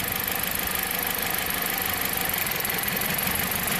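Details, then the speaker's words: 2007 Jeep Compass four-cylinder idling with a stumbling beat under a steady hiss from a cylinder 1 misfire (P0301, P2302); wiggling the ignition coil harness makes it better or worse, pointing to a harness fault. "see which cylinder that is yup it is number one and if i move it back it gets better it gets worse"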